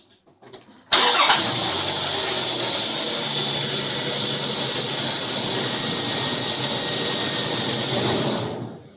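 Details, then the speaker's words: 2001 Nissan Pathfinder 3.5L V6, test start after replacing the spark plugs and coil on one side for misfire codes. Quick crank, clean catch and a smooth idle with no stumble or ticking. Normal start and idle. "seems like it's working the right way so I'm just going to both these brackets back on here"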